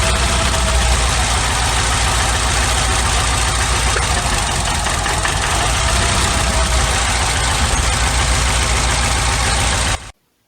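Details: 1991 Nissan Sentra B13 GA16DE with an intermittent misfire and no codes, idling: lumpy, uneven four-cylinder beat with a regular stumble; cylinder two still misses after the plug wire is ruled out, and a dead fuel injector is suspected.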